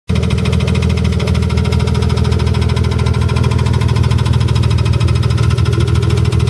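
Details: E36 M3 S52 petrol six swapped into a BMW E30, recorded with hood closed, idling with a steady, fast knocking/ticking over a low, even drone; engine knocking/ticking.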